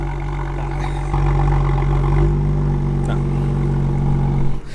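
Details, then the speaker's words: BMW M2 exhaust at cold start: loud, deep idle with a sharp rasp and rattle from the rear; a fractured, holed rear exhaust muffler is leaking, and the system is being replaced under warranty. "on startup i started noticing that the car has a very sharp raspy tone to it and it was mainly coming from the back of the car i wasn't sure if it was the exhaust pan itself the tips or something else underneath"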